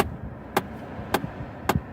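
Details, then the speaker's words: 2009 Chevy Impala LT with air conditioning switched on: sharp single knocks about every half second over a quiet cabin hum; knocking continues a minute or two after AC is off; cause unknown. "I'm gonna put the air conditioning on and listen to the sound I don't know what it is okay we go now here I'm gonna head air conditioning prepare say knocking can somebody please I feel the air please somebody tell me what that knocking yes"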